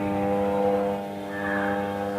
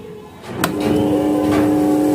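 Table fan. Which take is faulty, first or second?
first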